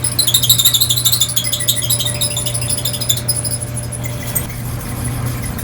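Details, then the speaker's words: Dryer running on air fluff with heating coils off: high chirping squeaks about three times a second over a low constant tone. The higher squeak is thought to be a rear drum support wheel; the lower tone the belt tensioner wheel. "I think that higher pitch squeak is that wheel there and the lower constant pitch sweep is that tensioner wheel"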